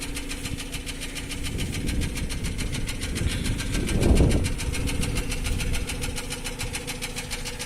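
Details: Nissan Almera N16, about 15 years old, oil control rings replaced, no smoke: fast, even light ticking about eight per second at idle over a steady hum; valve tapping suspected.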